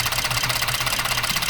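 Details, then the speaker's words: 2014 Ford F-150 3.5 EcoBoost idling with cylinder 6 misfiring: fast, choppy stumbling pulse with engine shaking, traced to loose ignition coil connector; cylinder misfire. "Si te fijan, si se fijan a está tiemble tiemble más. No, mira, está temblando el motor."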